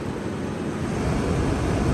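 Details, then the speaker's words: Running vehicle with orifice tube A/C system, cycling clutch switch: deep whooshing roar as viscous fan clutch engages and flows strong air over condenser, lowering high side line temperature. "you can hear you can tell that the fan is really flowing air right now"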